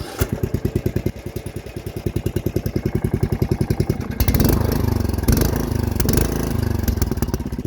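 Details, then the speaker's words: Briggs and Stratton engine (trick for 11.5/17.5 models) after removing the intake restrictor, carburetor untuned: cranks briefly, catches and settles into a steady even single-cylinder thump at fast idle; runs healthy with more air, more power. "Aside from that, that little piece being gone allows your engine to suck in way more air, which means more power."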